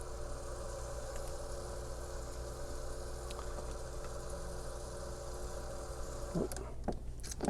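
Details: Heater circulation pump air-locked, fitting loosened to bleed: steady even pump hum with fixed tone, then water spurting and splashing as trapped air is bled out.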